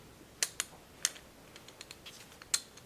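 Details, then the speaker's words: Old USA-made Craftsman half-inch ratchet, turned by hand before cleaning: sparse sharp clicks at uneven spacing instead of steady chatter, not ratcheting all the time; owner suspects old dried grease, not gear damage, later fixed by cleaning and lubricating. "it's not even a ratcheting all the time so I'm really hopeful that it's just something skunked up in there"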